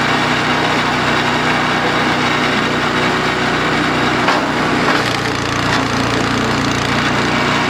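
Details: DR RapidFire PRO-XL log splitter, just back from the shop, engine at full throttle splitting dried cottonwood: steady loud drone with a rough buzzy rattle while the ram hangs up; cause suspected, not confirmed (muffler later failed).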